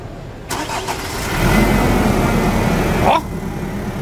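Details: 2017 Nissan Frontier 2.3 diesel after steering box, suspension and brake work: engine cranks and catches, blips once, then settles into an even, steady idle with no knocks or misses; normal.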